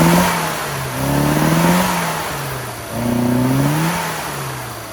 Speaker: It's not fully warm yet, but as you can hear, it's got a bit of a misfire.